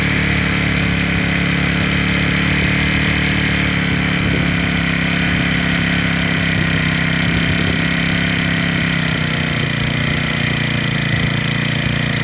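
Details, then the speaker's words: Rebuilt small four-stroke engine with valves checked and carburettor fitted, idling after the carburettor mixture screw was turned until it ran steady: constant low hum, no stumbling, surging or shaking. Normal idle. "เโอเคครับนี่ครับเห็นมถ้าเครื่องเบอกว่าเขาโอเคเเอาน้ำมันเท่านี้แหละเ้าก็จะนิ่งนะครับเาจะไม่สั่นแล้วจะไม่ดื้อนะครับ"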